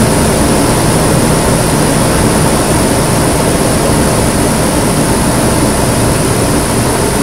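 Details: 2008 Nissan Pathfinder V8 just after a Volant Powercore cold-air intake install, first start, engine cover off: a loud, steady roar with an airy rush of air by the throttle body and no knock or tick. Normal intake noise.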